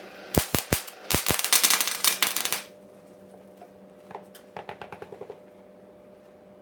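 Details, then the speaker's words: 130-amp gas/no-gas MIG welder on flux core, first use, on steel: sharp uneven popping crackle in bursts with lots of wire out, burning holes; helpers suspect wire feed slightly too high, unconfirmed. "lots of wire out there so I think I've got so you've got a hole in two holes now I'm not sure minutes 12 seconds closer right sounds like wire feet too high just a little"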